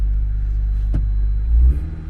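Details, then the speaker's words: Engine started right up and sounds good, with a deep steady rumble, clean short rev and settle, no knocks, ticks or misses; hybrid with dead-reading IMA battery, good oil. Normal running. "Motor sounds good though."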